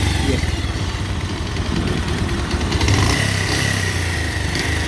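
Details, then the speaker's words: Pulsar 150 single-cylinder at idle on self-start: fast, light tick in time with the engine, which began suddenly while riding at about 90 km/h; owner suspects stretched timing chain or timing out (tappet sound), not confirmed. "लेकिन आपने देखा इसमें एक अजीब सी आवाज़ आना शुरू हो गई है cut cut cut cut cut cut गौर से suniyega जरा बिल्कुल गौर से suniyega आवाज़"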